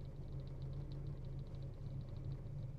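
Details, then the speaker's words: 1960s MG 1100 (ADO16) with 1098 cc A-series petrol engine at idle: low, even, remarkably quiet hum with no knocking or rattling; healthy engine. "it's a remarkably quiet example of an A series actually don't just think that sounds lovely there's no knocking no"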